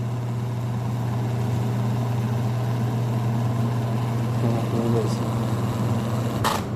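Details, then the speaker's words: Dirty Arno 40 cm desk fan that runs very slowly: a steady motor hum with scratchy ticks as it struggles to spin, and the blade has play. "Eita já vi que ele tá só fazendo aquele barulho ó querendo rodar"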